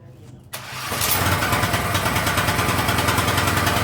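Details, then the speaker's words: King Canada 3000W generator started with a Ryobi drill, still no air filter, heat gun plugged in as a light load: fast, uneven run with slight speed surging, hunting expected from the missing air filter. "Still no air filter on this, but uh let's see how she runs. Hopefully, she doesn't hunt as much. She probably will, cuz we don't have an air filter."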